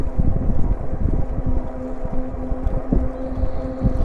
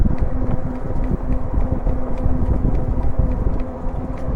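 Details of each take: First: E-bike on pedal assist 2, gear 7, holding about 14.5 mph on pavement, slight downhill: only a low tire hum and a little wind, motor itself very quiet and healthy. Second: E-bike in pedal assist 2, gear 7, at about 14.5 mph: rapid, regular flapping ticks from the front wheel keeping pace with road speed over wind noise; something caught in the wheel, possibly tape.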